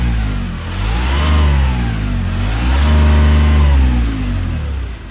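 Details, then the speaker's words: First-generation Smart Forfour 1.5-litre three-cylinder diesel, manual: revving twice produces a deep booming shudder, the whole car vibrating because broken engine mounts no longer hold the engine properly. "Au fait, voilà le bruit que font des supports moteur cassés. Pas seulement sur la Smart, mais aussi sur d'autres voitures. Oui, toute la voiture vibre, et on sent vraiment que le moteur n'est plus correctement fixé."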